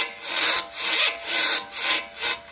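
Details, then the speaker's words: B7 Audi A4: dry, raspy creaks about twice a second as a worn original sway bar link is rocked back and forth; the creak when turning went away once the sway bar links were disconnected. "b7a4 real bad creaking noise when turning i uh disconnected the sway bar links from the sway bar turn the wheels noise went away so these are the sway bar links"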